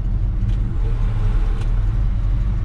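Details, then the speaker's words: 1962 Chevrolet C-10, 350 V8, automatic, showing 89,000 miles, idling with air conditioning on in warm weather: deep steady healthy idle, idle rising as the AC compressor cuts on and off normally. "just cutting on and off and working i'm gonna leave it on it's a little warm out here"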